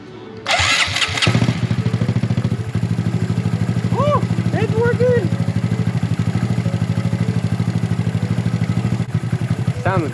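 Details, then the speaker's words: Honda Grom on its first start, muffler fitted, intake not yet installed: starter whir then choppy idle with faint mechanical clatter; owner thinks the internals are audible before oil has circulated. "but i can hear the internals i think maybe because the oil seems to go through but i'm just gonna let it run for a bit and then come back and check it"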